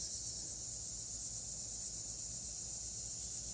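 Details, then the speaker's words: Car tire punctured by a screw whose head had worn off: steady, thin, high hiss with no rhythm as air escapes through the hole once the screw is pulled. "You can hear the air coming out. The head's already worn off of it."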